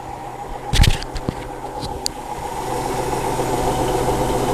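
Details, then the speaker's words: Hotpoint NSWM 1043C W UK N 10 kg washing machine (Whirlpool-made, circa 2007) on lower-speed spin after shock-mount repairs; steady low hum building evenly, no ticking or knocking; owner unsure it's fully working; normal spin. "sounds okay to me but we've been through this a few times now"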